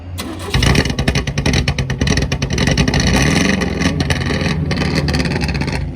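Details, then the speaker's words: Four-cylinder race car when revved: ragged, stumbling, skipping with uneven popping and backfiring instead of a clean pull, sounding like a tractor; misfire, cause unknown. "Sounds like a tractor. Something's wrong with it, man. What? Something's wrong with it. It's not supposed to sound like that. It's skipping, backfiring."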